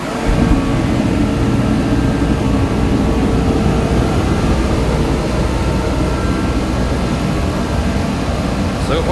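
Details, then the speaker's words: DeWalt torpedo heater (had no-start and fuel-spitting issue), just refired with cover back on: steady blowing roar with rough rumble underneath, throwing flames, probably unburned fuel burning off before pressure was adjusted further. "now we're throwing some flames probably that unburned fuel playing around in there"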